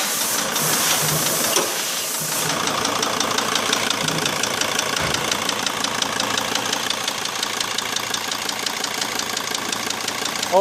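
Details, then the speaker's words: Mercedes Sprinter 2.7 CDI diesel: hard, uneven tapping about three knocks a second over diesel clatter from one cylinder; piston slap from brief overheating seizing and deforming the piston in the liner, fixed by replacing the piston and honing liner scuffs. "видите конкретно С одним цилиндриков всё луши оп тук-тук в конце всё стучит поршак"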